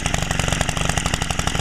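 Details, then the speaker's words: Stihl FS90R two-stroke trimmer back from carburetor work, with the muffler screen removed and idle speed turned lower: quick, even popping at a steady low idle, loud but clean, no misses. Normal idle. "I also adjusted the idle speed. I turned it a little lower. That sounds a little louder"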